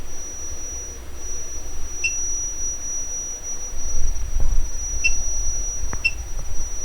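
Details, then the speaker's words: Electrohome Acoustech E00-411 35 W two-way tuned-port speaker with newly installed tweeter, 6,000 Hz test tone: thin steady whistle swelling and fading with wave interference; normal tweeter output. "Can you tell the up and down in the sound now is going up, down, up, down, up, down. Higher frequency, the wave interference is tighter."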